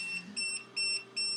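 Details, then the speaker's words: Creality Falcon A1 10W enclosed laser engraver beeps rapidly, about 2.5 beeps a second, when the lid is lifted mid-engrave on plywood; the machine stops automatically and the job can be resumed. "the machine will stop automatically and as you can hear that buzzing it will let you know that this has been opened and you can resume from where it stopped"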